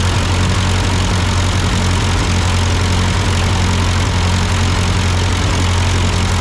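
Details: Ford 8N tractor idling after an amateur carburetor adjustment. Uphill sputtering had been traced to a cheap Chinese replacement carb; an old Marvel-Schebler ran fine. Steady low rumble with an even beat and no stumbling or surging; a normal idle.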